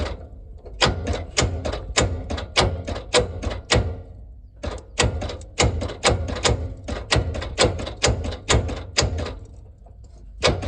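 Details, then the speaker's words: Long-sitting Ford Industrial 4500 gas loader tractor: heavy repeated clunks as rusty starter engages and stalls, barely any movement, no cranking rhythm or firing; seized, locked-up engine. "nt you to listen to this it is locked up in fact i did a little work off camera"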